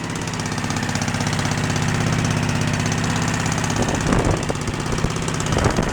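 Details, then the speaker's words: Craftsman riding tractor twin-cylinder engine, first run after fueling, mechanical choke with throttle raised: a steady, even throbbing idle with a couple of throttle blips. It runs normally, though the fuel line needs replacing. "anyway but the motor runs good it seems like it's decent and we're going to make sure it's running on both cylinders"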